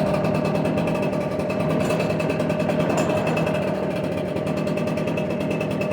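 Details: Echo PB770H two-stroke backpack blower, restarted hot after hard running and sitting about half an hour, switch on: steady, even buzz with no surging or dying; it now starts, which it wasn't doing before, and runs clean.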